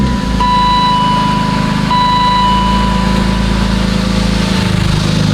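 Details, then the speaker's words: BMW E36 after repairs following a crash, first start in a while: steady, even idle with a smooth low rumble and no knocks, misses or ticks. The engine sounds healthy. "sound pretty healthy it sounds like it's almost ready to be on the road"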